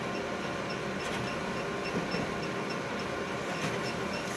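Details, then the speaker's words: Konica Minolta copier copying at an enlargement setting: a short high chirp repeats about every half second over the machine's steady running noise; a squeak during copying, cause unknown. "who here that it's another squeak"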